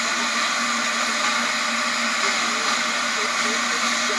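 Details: Small steam tank engine raising steam: a loud, steady roaring hiss that drowns out nearby conversation; normal noise while building pressure.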